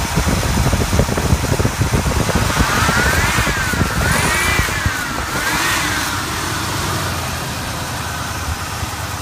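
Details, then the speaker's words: 455 V8 wagon idling after header exhaust leak sealed, new spark plugs, tuned carburetor and working kickdown cable; deep, steady V8 burble with an even beat, no tapping or misfire, normal running. "this is how it idles now that it has the header exhaust leak sealed up. New spark plugs, tuned carburetor, a working kickdown cable, and it has now been shiny."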